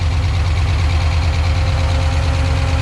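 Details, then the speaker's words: Freshly rebuilt stock-block Ford 302 HO V8, first fire-up, cold, oil pressure around 60: steady even idle with fast light ticking over low rumble and brief smoke expected; normal idle after rebuild. "Now you're going to hear some ticks and you're going to see some smoke for a minute. Check my timing now. Sounds real good, Paul."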